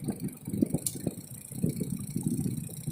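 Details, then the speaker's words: A four-wire mechanical washing machine/fridge timer, just switched on for testing, gives a quick, slightly uneven ticking while its gear turns, with no grinding behind it; the timer runs as it should. "ये मैंने टाइमर को ऑन कर दिया और अब आप देख सकते हैं इसमें किटकिट की आवाज़ आ रही है"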